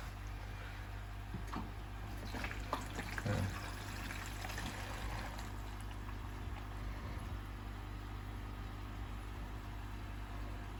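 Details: AquaEl Ultra 1400 aquarium filter switched on for flow test, diffuser removed: low steady hum with soft water trickle, no rattles or surging; pump running smoothly, normal.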